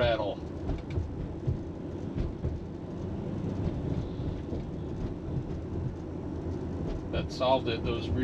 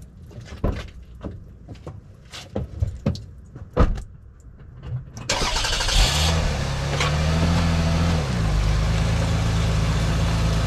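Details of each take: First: 2001 Toyota Avalon on a test drive over bumps after replacing the rear sway bar bushings (17 mm bar). Only steady tyre and road rumble, with no clunks or rattles. Clunk fixed; normal quiet ride. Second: 2001 Toyota Avalon on back roads at slow speed, before repair. Irregular dull clunks over bumps; shaking the wheels found nothing loose and tightening the spare and jack didn't help. Owner suspects worn rear sway bar bushings.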